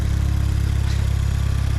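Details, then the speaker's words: Mk5 Golf GTI TFSI transplanted engine, first start: fires straight away into quick even throb, no knocks or misses; smoking slightly because engine had been upside down. Normal idle after start. "first start up is smoking a little bit because the engine was upside down right"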